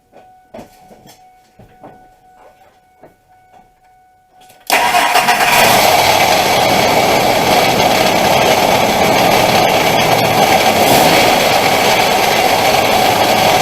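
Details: 2000 Ford F-150 4.2 V6 at idle after start: steady knocking about four per second from the front belt end; alternator was first suspected, but the cause was a failed idler pulley bearing.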